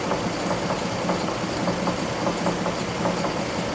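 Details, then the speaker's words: 2003 GMC Envoy 4.2L 4x4 automatic after 3–4 minutes of warm-up, serpentine belt still on. A steady knock of roughly a hundred taps a minute rides clearly above the idle hum; the cause is suspected, not confirmed. "I'm going let it run until we get that knock back and then I'll turn the camera back on."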